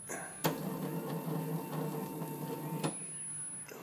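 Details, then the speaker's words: 7x10 CNC lathe on first run under Mach3 after wiring and motor mounting: buzzy, uneven stepper drone with a thin whistle as the axis travels; owner suspects binding in that axis, needs adjustment. "got some adjustment to do there it sounds like so I may have some binding in that axis not really sure we have to look at"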